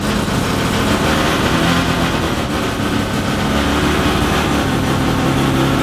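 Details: Mazda FD RX-7 13B turbo rotary, studded semi-peripheral-port build, first start on a hoist with no exhaust fitted and not yet tuned, coolant about 40°: raw, choppy brap idle at about three pulses a second from port overlap.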